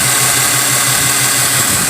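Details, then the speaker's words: 2014 Mazda petrol engine idling with an uneven, lumpy beat, a regular stumble; code shows a cylinder one misfire, coil spark looked fine and no mechanical issue suspected. "here we have a 2014 Mazda and just by pulling it in I can hear a misfire so checking the codes of course cylinder one misfire"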